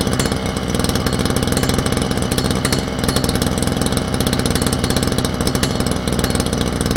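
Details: Small two-stroke brush cutter started cold by recoil pull with choke then choke off: crisp, quick popping at a steady idle with no misses or hunting; normal idle.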